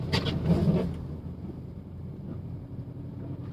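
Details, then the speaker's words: W204 Mercedes-Benz C63 AMG, naturally aspirated V8, rear-wheel drive, driving through roughly 10–20 cm of snow: short rough scraping rush under the car over low engine rumble as the underbody bottoms out slightly. "There, you guys hear that little underneath? And we're bottoming out a little tiny bit,"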